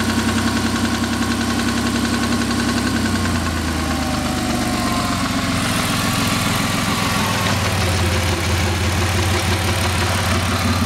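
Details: 2000 Ford SVT Contour with 3L Ford Escape block, Cougar 2.5 heads and SVT cams: rough idle with a quick, uneven knock of roughly three to four per second over the engine note; cause not determined.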